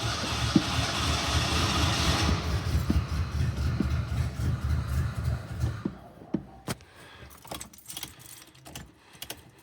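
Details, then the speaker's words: Ford Bronco II, O2 sensor just installed: low, lumpy, uneven engine note before dropping away; running really badly, owner suspects partly a fuel leak dumping fuel; rough running, not confirmed. "Running really bad, which partially could be from the fuel leak and the fact that it's dumping everything down there."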